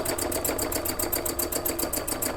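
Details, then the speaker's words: Sewing machine, likely in heavy demonstration use, running fast at about eight stitches a second with a loose, rattly clatter; it stitches smoothly but sounds like something loose underneath, owner suspects it needs oil or some maintenance. "i think it sounds worse than it is it feels like it's stitching smoothly but yeah yeah it sounds like something loose underneath it needs some oil or a little bit of tlc"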